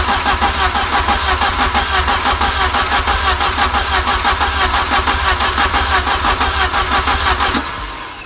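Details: Westfield SEiW kit car with a newly fitted cambelt kit, first start attempt after fuel and ignition were sorted: starter churns steadily at about three beats a second for over seven seconds without firing; extended cranking without starting.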